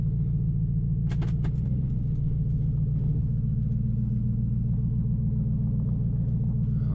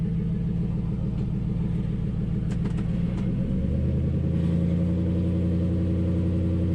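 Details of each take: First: 2005 Nissan Titan at idle after an in-tank fuel pump rebuild with a Walbro pump, plus a new in-tank hose and new starter, muffler removed: deep, steady, even open-exhaust rumble with no skips or knocks, seemingly running better than before; normal idle. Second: 2005 Nissan Titan idling after a Walbro fuel pump rebuild: loud open-pipe rumble at steady idle with a few light metallic ticks from the loose exhaust hanger left hanging up; exhaust hanger rattle.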